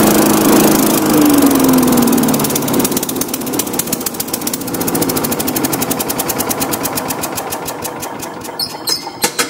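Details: Tecumseh-powered Craftsman 4-in-1 yard vac, model 247.770100, sat about two years, old fuel cleaned out and fresh gas added; single-cylinder engine runs strong, then settles into an even putter with no misses, normal running.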